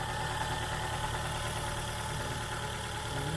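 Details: Ford Fiesta Duratec petrol engine running on 3 cylinders with loss of power: lumpy, uneven idle with stumbling beat as one cylinder drops out; misfire from faulty ignition coil pack, fixed by replacing coil pack.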